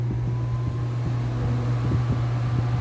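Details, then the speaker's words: Arno Turbo Silêncio Maxx fan running: steady low hum with a pulsing throb about four times a second, like a small frog-type pump; owner suspects a worn bushing; abnormal humming noise. "Galera, olha o barulho estranho desse ventilador aqui. Ele tá fazendo barulho de bomba."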